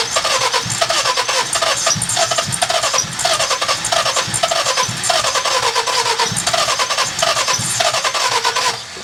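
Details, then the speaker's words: With timing and valve lash set by the owners and coils pushed down, the starter cranks with an even chuffing beat for about nine seconds but never fires; owner suspects something is hooked up wrong. Crank, no start. "Oh well. A little less exciting than I expected. Makes me wonder if we don't have something hooked up properly."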